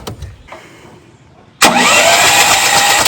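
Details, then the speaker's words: CAT RP7500 generator that sat unused: pull-start spins the engine over smoothly with plenty of spark but it never catches; owner suspects a clogged carburetor jet in the fuel delivery; crank no start. "I think our problem has to be in the fuel delivery the Jets probably clogged so we're going to have to remove this whole Assembly"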